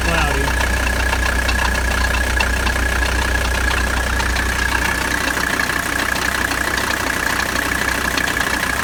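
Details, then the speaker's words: 1985 Mercedes 300D diesel idling during AC recharge, second can, sight glass still cloudy: steady thin whine over even idle; compressor cooling but sounds bad, quieter when idle raised; owner suspects compressor may be failing. "Compressor's starting to get noisy. It may not be any good. It doesn't sound too good. It's cooling, but it doesn't sound good."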